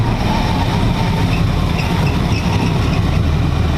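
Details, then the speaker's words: Tide Car V8, carbureted, first start on the new Carter 50 GPH pump and 3/8 fuel line, ground strap added and MSD box grounded: deep, steady rumble with no misses or knocks; smooth normal idle. "on the new fuel system but really smooth too"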